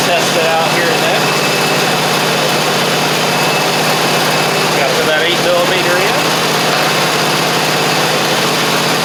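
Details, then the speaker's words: Two-year-old Troy-Bilt zero-turn mower, Kohler 24 hp 7000 series V-twin, after fixing fuel delivery problem (water in fuel) and a badly fitted replacement carburetor gasket. Steady, even idle with no misses, knocks or speed swings; normal idle. "Um, now it should kick over pretty easily. Otherwise, you can hear it's running good."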